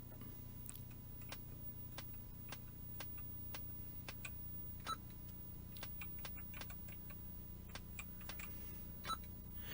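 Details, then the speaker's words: Yamaha CX5M MSX computer after partial keyboard repair: short sharp clicks with each keypress, roughly every half second, over a quiet hum; keyboard light on and sound working but no video signal, and an oscilloscope check is planned. "So as you can hear, it is partly working, but the video's gone now."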